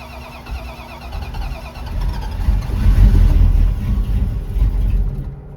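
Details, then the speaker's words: Cold start of carbureted engine in cold weather, fuel splashed down carburetor and one accelerator pump shot: catches, swells unevenly about four beats a second, then sags off; cold start stumble, owner suspects timing off. "All right, it did that. That's what it did. Yeah, it don't like this cold weather choke."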